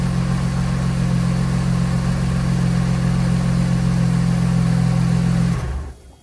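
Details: Mercedes W124 with M104 engine after ignition coil replacement (plugs already new), misfire fixed; smooth steady low idle hum with no stumble or miss, then switched off and winds down cleanly.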